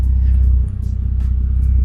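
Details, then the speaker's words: Toyota Supra 2JZ after cleaning the idle air control valve, cold engine: deep, loud exhaust rumble idling on its own with an even beat, rising and falling slightly; far more consistent than the previous bad idle. "she's still idling smoothly like that's crazy it's so like it goes up and down a little bit"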